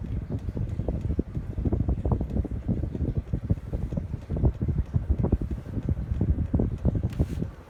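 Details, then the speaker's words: Codep Stratosphere 52-inch ceiling fan with light, microphone brought up close: soft, uneven whooshing air with low buffeting and no rubbing or clicking, so it is moving air normally. "But first, let me bring it up close so you can hear the air movement."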